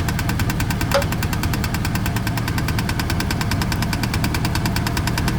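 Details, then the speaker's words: 1999 Chevrolet Silverado with about 390,000 miles idling; a fast, even metallic chatter over the steady idle sounds like engine knock but is a loose dust cover rattling, not an engine problem. "There's that little chatter box. Look at that. See if I can get a better look up in there for y'all. And I put my hand there and that's it. Thank goodness ain't no freaking engine problem."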